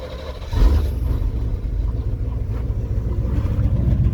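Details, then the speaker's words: TBI truck after the fuel tank, lines and pre-filter were cleaned of debris: unprepped cold start catches right away and settles into a steady low rumble with no stumble. Fuel pressure is 11–12 PSI, a clean, healthy cold start. "that was good I didn't even prep it this is a cold start so it's challenging good"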